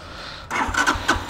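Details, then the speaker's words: GPX motorbike electric start: the fuel injection priming sound is absent at key-on, so the starter cranks in uneven bursts but the engine never catches. Cycling the key off and on brings the prime back. Owner may need a service-centre visit: fuel pump not priming. "এইটা চালু করার সাথে সাথে একটা শব্দ হবে, এটাকে বলি আমরা ইনজেক্টর বা ইনজেকশন অন। তো এখন এটা অন করে দেখাবো যে শব্দটা হয় কিনা। এই যে এখন অন হয় নাই, এখন স্টার্ট নেবে না,"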